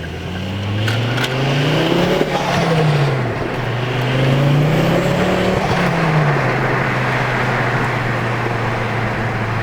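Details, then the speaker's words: Mk2 Ford Focus XR5 (ST225) driven after a snapped CV axle was dealt with. The engine note rises and falls smoothly through the gears, with no clunks, and the previous vibration is gone. Something scraping is briefly mentioned. "yeah I am over the moon that it's running nice and everything like that mate it's no more vibration"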